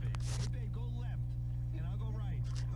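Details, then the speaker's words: Zenith N825 AM/FM tube radio under repair: steady low mains hum with a faint buzz, seeming to improve as parts reform; filter cap runs warm, and a tired supply filter is suspected, not confirmed. "so i think see if i could track down that hum seems to actually be getting a little better so i'm sure things are reforming a little bit here"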